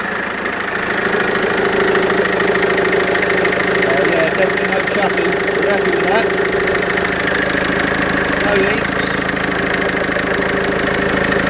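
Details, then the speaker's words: Mercedes Vito 2.1 CDI diesel at idle after replacing all four injector copper seals: even, steady clatter with no chuffing from the injectors; healthy smooth idle, leaking-seal chuff gone. "Happy days. No more chuffing injector."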